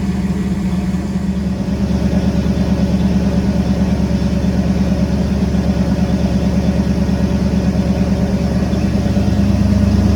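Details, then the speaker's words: 1974 Ford F100 V8 with Holley Sniper EFI, after fixing a crimped fuel return hose that had made the pump bind and stall the engine: steady smooth idle, no knocks or misses, runs like a sewing machine as it should. "But right now it sounds like and it sound like it run like a sewing machine right now. That's what it That is what it's supposed to do."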